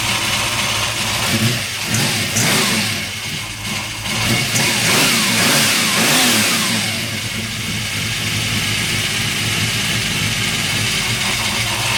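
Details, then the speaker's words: Freshly swapped 383 stroker V8 first start after priming oil: fires up and revs hard with a loose metallic rattle over a rough idle; source not yet found, needs investigating. "oh all right it sounds like something's rattling I got to dig into that a little"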